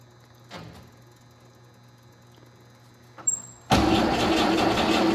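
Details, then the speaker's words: 1956 M135 deuce-and-a-half military truck, first start after 5 years idle, carburetor float repaired, makeshift gas tank: brief crank, catches, settles into a steady smooth idle; fuel leak at carburetor fittings. "I think that's just a matter of tightening those fittings, but it's purring like a kitten. Nice."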